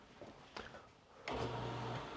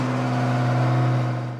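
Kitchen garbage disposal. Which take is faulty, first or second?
second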